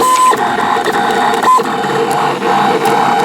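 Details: Decal vinyl cutter cutting a design (about 15 minutes of cutting) after sitting unused a while: quick motor chirps, short whirring moves and brief tones as the head steps through the cut; the cutter is working normally.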